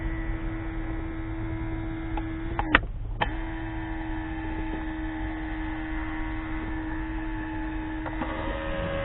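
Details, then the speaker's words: 2005 Mercedes W463 G500 driver's multicontour seat air pump drones continuously with only a brief dropout, because two seat air lines were unhooked and it senses constant pressure loss. "okay because these two are unhooked it's just sensing a constant loss of pressure in the seats"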